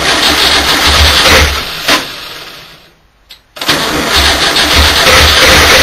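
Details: VW engine cranks and catches, then a fast, fairly even knock of about three per second over idle. Owner thinks the fan is loose but is not sure. Engine knocking.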